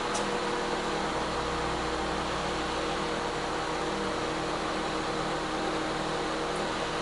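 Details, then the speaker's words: Older microwave/convection oven on combination cook at 250 degrees, reaching 188 degrees, running with even hum and fan whoosh, no rattles; $2 switch to be replaced for won't-shut-off fault. Normal operation. "All right, so that thing's working. So that's just how simple this is."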